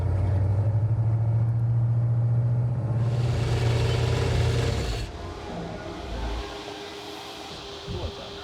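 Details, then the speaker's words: Pontiac 455 V8 in a '67 GTO after cam break-in, never above 195°F and with many exhaust leaks: deep steady rumble with a faint regular bottom-end tap before shutdown. Suspected cause is the newly fitted windage tray touching the rod bolts. "Something's touching somewhere. It sounds like bottom end, which the only thing we did down there was a windage tray in the pan."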